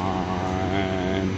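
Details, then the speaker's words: 1980s Clausing-Colchester 15x50 lathe at first start-up, 60 Hz, 2.3 A draw, belt slightly loose, oil pump working: steady spindle drone with faint gear whine from the headstock, mild gear noise. "Little bit of gear noise. Now she's cutting"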